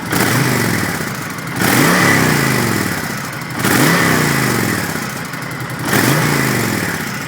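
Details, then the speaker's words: 2007 Honda VTX 1300 S V-twin with stock exhaust, fires right up: three clean throttle blips about two seconds apart, rising and settling back to a steady lope without misses; healthy cruiser. "Let's rev it up a little bit so you can hear it running."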